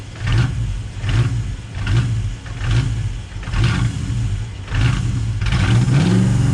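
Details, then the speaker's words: Built 5.0 Mustang GT V8, sitting two years, grounds fixed and PCV valves removed, started but not a proper cold start: idle surges and dips about every second with a deep lumpy rumble. The owner suspects intake leaks cause the rough idle. "I think it's idling rough because of all these intake leaks."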